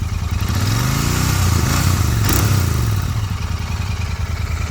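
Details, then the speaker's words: 2023 Royal Enfield Continental GT 650 twin revving with a 'kat kat' noise; light metallic tick-tick over the exhaust beat, stops when silencer is held, returns when released; silencer slightly loose at its mounting, owner suspects it was not refitted properly: loose exhaust silencer. "भाई अब मैंने आपको दिखाए की क्या problem है तो इसके साइलेंसर जो है वो थोड़ा सा लॉस हो चुका है अपने उससे एरिया से मतलब जहां पर लगता है तो साइलेंसर थोड़ा सा लॉस हो गया"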